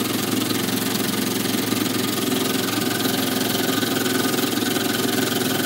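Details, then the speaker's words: Small steam engine on a brass frame bolted to the boiler, running steadily with a soft knock about three times a second; crank clearance left deliberately so the crankshaft doesn't seize as the frame expands; normal running. "if this is tight because it's a brass frame which has bolted straight on that on the boiler what happens is that it expands and the crankshaft seizes up if we haven't got that knock in there so that's the way it needs to be"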